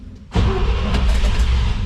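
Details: Vintage International C1600 truck with a 345 V8, started cold with the choke fully out, an electric fuel pump primed and a starting aid: it catches sharply and settles into a deep, steady rumble. Normal start.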